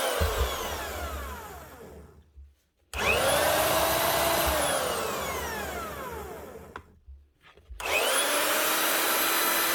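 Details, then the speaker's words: Marcrist DDM3 three-speed wet and dry diamond core drill spinning up in short runs with a whining motor and a rough low growl from a bad bearing; the head is rusting inside and the seals have gone. "now there we go we bit of a grow out of it it's the head here she's starting to rust inside of here"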